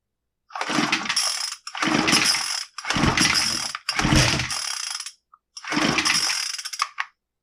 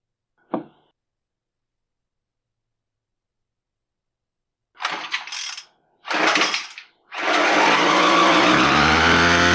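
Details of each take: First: Brand-new Troy-Bilt TB25SB string trimmer that won't start: five rasping recoil pulls with no pop or catch; fuel fault thought unlikely, spark test shows no spark; no-start from ignition fault. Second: Brand-new TroyBilt TB25SB string trimmer after replacing the ignition coil, which was why it would not start: two sharp cord pulls, it catches on the third and settles into a steady buzzing run, so it runs normally.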